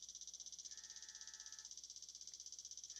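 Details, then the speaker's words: 2014 Chevrolet Sonic 1.8 with a P0171 lean code: the purge solenoid ticks crisply and evenly, about four per second, when purge is commanded up by scan tool. It works normally, but flow amount is not verified. "So when I increase it, you can hear the solenoid uh, clicking and working."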